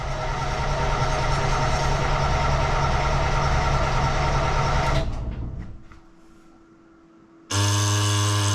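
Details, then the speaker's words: Perkins T6.354 marine diesel just after resealing its CAV injection pump: heavy chugging, uneven for five seconds, cuts out, then catches again; air still being worked out of the fuel system, little smoke. "Let me make sure nothing's leaking. working all the air out. Not smoke very much."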